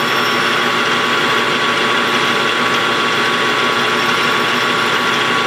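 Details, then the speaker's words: Lathe turning light finishing cut on rim of a Kerzel model engine flywheel: thin steady high-pitched ring over running noise; tool chatter (singing), cause suspected. "I don't like it singing a little bit here. I don't know if you can hear it or not, but it's got a high-pitched sing here a little bit."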